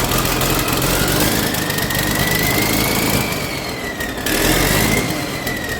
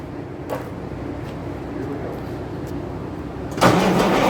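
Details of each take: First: Sgt Major's diesel started for the first time in at least six years, still cold: steady diesel clatter at an even pace with a faint whistle rising and falling with revs; normal running. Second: Hard starting on first start attempt in at least 6 years: slow rhythmic diesel cranking about three beats a second, then a sudden rough catch near the end; newly fitted injection pump, owner unsure whether it needs adjusting, cause unconfirmed.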